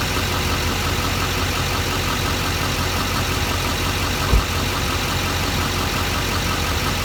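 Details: LBZ Duramax 4WD diesel with a newly built Allison 1000 transmission (2 months old, under 1000 miles, billet triple-disc converter and input shaft), idling: one distinct low clunk when shifting between park and reverse. The owner asks whether this is normal.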